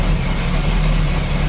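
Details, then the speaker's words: 1987 Bayliner Cobra 2250 with OMC 5.7 V8 sterndrive, just started in the water, not yet warm, after gimbal bearing replacement and outdrive refit: steady, even low rumble with no knocks, ticks or misses; a normal idle, quieter than before. "Alright guys, so I just fired up the engine right now for the test, and what I noticed is this engine is quieter than it was before."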